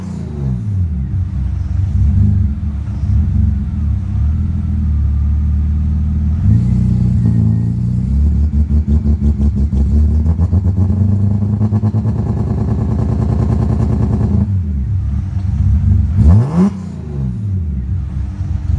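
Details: 1990 BMW E30 325iS with swapped M52B28 straight-six and manual gearbox: it revs up and down unevenly under light throttle and can't hold about 1500 rpm. Rough since driving through 1–2" deep water; CEL code 1222; a new MAF helped but the CEL remains.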